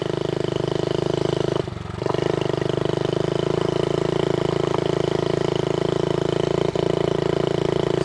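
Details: Vintage Honda Z50A mini bike, first run in over 30 years, putters with a slightly uneven beat and wavering pull from fuel starvation; the petcock was only trickling fuel and was blown out and cleaned with carb cleaner.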